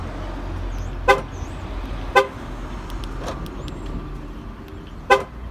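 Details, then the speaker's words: Dodge key fob after battery replacement and repair, previously set off the alarm immediately near the vehicle: short horn toots about a second apart over street noise, no alarm following; normal lock chirp. "the real test was when I bring it next to the vehicle it was just immediately going off into alarm clock it sounds much better"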